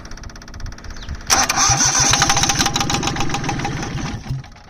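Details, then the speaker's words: Perkins 103-10 diesel repowering a 2002 Cushman Truckster, after bleeding the injectors with one still unbled and the battery weak. It catches and runs lumpy with stumbling beats before dying; air remains in the fuel system. "That one, this one not at all, but I'm running out of cranking power. So I guess they'll just have to bleed over time."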